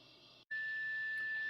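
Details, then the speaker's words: Braun T1000CD receiver BFO with unmodulated 455 kHz carrier fed into IF: clean steady high whistle near 1.8 kHz over faint hiss, the beat between carrier and off-frequency BFO. "I'm feeding in a carrier and as you can probably hear you can hear the whistle there now that is not the modulated 600 Hertz tone that I usually have there that is the difference between the carrier coming in at 4:55 and the frequency that this thing's generating"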